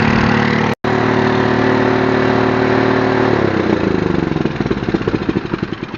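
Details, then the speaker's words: iQ 3500 generator after a no-spark fault was fixed by fitting an inline fuse in place of a blown one, fresh oil and gas: it runs steady and even, then settles into a slower regular chug with no misses; sounds healthy. "What I like about this thing too, it's a little loud in here, but it's because it's blowing exhaust right up against that wall. But it sounds good. I believe it's okay."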